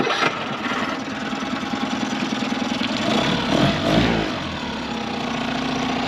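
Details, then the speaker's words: 2011 Tohatsu 9.8 four-stroke long-shaft electric-start outboard on a boat on the lake after maintenance: catches on first brief crank, steady even idle, no misses or knocks; normal start and idle. "So let's get it out of the no wake zone and let's see what it can do on the lake. And as you guys can see, the motor fires right up."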